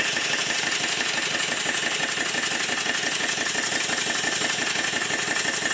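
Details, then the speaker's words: Southworth duplex boiler feed pump steam engine run on compressed air after steam oil injected into the inlet, pumping air only: steady hissy, spluttery chuff about three beats a second from excess oil blowing out the exhaust. "at first when the engine starts it sounds a bit strange that's because of the amount of steam oil that's now pouring out of the exhaust"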